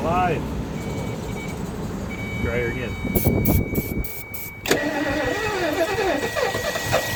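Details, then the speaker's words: 1977 Lincoln Mark V 460 V8, abandoned project, fuel poured into the carburetor bowls and throat, starter triggered from under the hood: brief crank, then it catches and roars into uneven running on the prime; sounds good, tank fuel still unresolved. "That's a win. That old 460 sounds really good."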